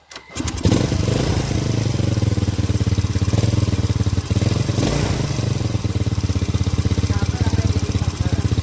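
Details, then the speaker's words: Honda Supra-series carburetted single, engine warm yet carburettor still sweating and cold, plug fouling black before repair: lumpy, slightly uneven idle putter; running rich and wasting fuel, carburettor jets, needle and needle jet to be checked. "pak tes boros pak. Tese busine mboten sakit garing. Suaranya jebeb."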